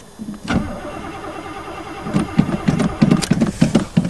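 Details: Chevy with carbureted four-barrel 305, sat about 7-8 months, frozen winter day, throttle pumped: repeated uneven starter churning about three per second, never catches; long crank, no start, owner fears the gas was stolen, some fuel later found.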